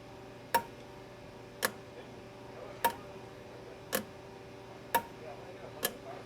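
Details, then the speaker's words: Chevrolet Traverse, code P0449 repaired: EVAP vent solenoid switched on and off with scan tool, sharp crisp clicks about once a second, normal operation. "I don't know if you can hear the click now the soleno is clicking so our solenoid is somewhere up here I'm gonna turn it on and off with the scan tool so just listen to that clicking noise I hope you heard that"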